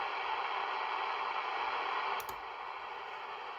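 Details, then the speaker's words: Superscope Aircommand CB-640 1970s CB radio that initially wouldn't power up: steady receiver static hiss, then a click about two seconds in and the hiss drops noticeably as the automatic noise limiter (ANL) switches on; ANL works, meter okay. "so the a l does work anyway the meter is okay"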